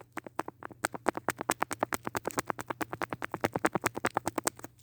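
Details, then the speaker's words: Echo SRM-210 trimmer carburetor diaphragm worked by hand: a quick, uneven run of sharp clicks, about two a second. A healthy diaphragm should be silent, so this one is worn and needs replacing. "that's the clicking on my diaphragm not sure if you could hear it but this one needs to be replaced"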